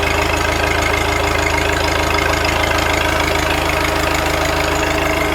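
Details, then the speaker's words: Cold-weather start of an old New Holland with a Wisconsin engine (not the original motor): steady, even idle with a smooth low exhaust beat and no knocks or misses; running great. "Listen to that exhaust. Sounds awesome. Runs great."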